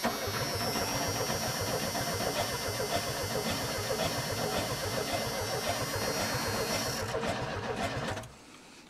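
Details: Abandoned Chevy S10 in a junkyard on a borrowed battery, with the fuel pump heard working: the starter spins the engine steadily at about three to four beats a second with no firing. Crank, no start from a failed distributor.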